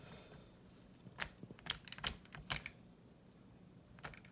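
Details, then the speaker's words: Xiaomi Mitu stroller, right rear wheel lifted and spun: light irregular clicks and ticks as the foot-brake pin protrudes more than normal and catches the wheel each pass, risking wear to the plastic parts; left wheel spins silently. "That is the sound of the pin protruding out and catching onto the wheel."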